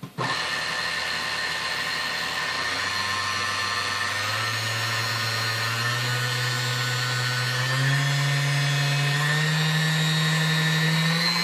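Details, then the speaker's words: Restored vintage Sunbeam Mixmaster Model 9 run through speeds 1 to 10: motor hum climbs smoothly in steps with an even tone and no dragging; it runs clean. "all right it sounds better there's no drag on the machine now"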